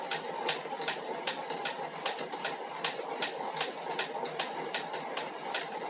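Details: 2021 Elite Suito trainer: sharp, evenly spaced knocks, roughly two and a half per second, over a quiet whirr, a repetitive knock from inside the trainer; the problem was fixed in later 2021 units.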